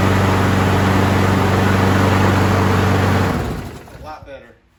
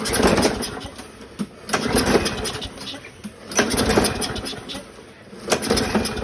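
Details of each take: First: 2009 Craftsman self-propelled FWD mower, model 917.376401, Briggs 6.75, 22-inch cut, after carb clean and rebuild for a gas leak and swapping a bent blade for an unbent used one: steady, even single-cylinder drone with no shake before shutdown; runs smooth and balanced. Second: 2009 Craftsman 917.376401 self-propelled mower, Briggs 6.75, leaking gas, no air filter, run on carb spray: ragged bursts of firing about every two seconds that sputter out each time; needs a carb rebuild. Rough start from fuel system fault.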